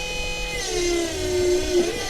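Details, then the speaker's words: Electric MR2 power steering pump installed in an RX-7, filled with ATF, engine running and wheel turned: steady motor whine with faint hum; pump works normally, though a wrong fitting still leaks until the proper one arrives. "Yeah, see, everything's working. Just a leak right there."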